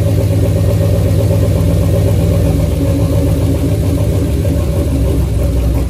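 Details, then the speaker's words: Chevrolet C10 with a 5.3 V8 long block stored 20 years, first start: a steady deep idle with an even low rumble, no knocks or misses; normal idle. "yep 20 years to hear that sound okay we made it"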